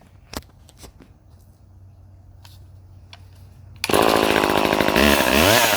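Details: Late-1970s Craftsman 2.1 vintage mini chainsaw (rebranded Poulan 25DA) firing up: a few handling knocks, then a crisp high two-stroke buzz that revs cleanly and holds steady under cut; runs healthy.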